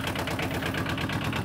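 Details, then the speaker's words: Aixam Mega Multitruck van, small diesel shared with a Japanese tractor engine, just started: loud, rapid clatter about ten times a second, steady at idle; noisy but normal. "as you can hear it's quite noisy that's another thing that people don't really like hear it because they all have the same engine more or less"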